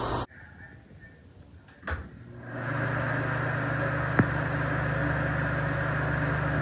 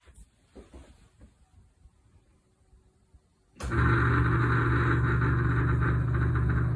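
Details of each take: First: Exhaust fan after reassembly, with the stripped fan wheel wedged onto the shaft with a zip tie so it turns one for one: a click, then a smooth, steady low hum with no rattle or scraping. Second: still making noise when i put it in what i found out even though i slide this on with the notch on the groove this fan is stripped so it's not going one for one turn on the shaft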